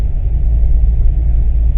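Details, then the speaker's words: Corvette V8 with FAST EFI 2.0 at idle just after starting: deep rumbling idle with an uneven rising-and-falling chop, the normal lope of the performance camshaft, while the O2 correction adjusts air-fuel ratio toward 14.7; nothing wrong. "Now you can see the air fuel ratio changing. You can hear the lope of my camshaft."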